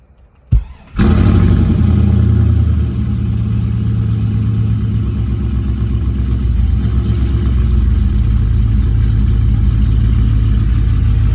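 Catches after a short crank, flares high, then drops to a deep idle with a slightly uneven pulse, typical of an engine overdue for a tune.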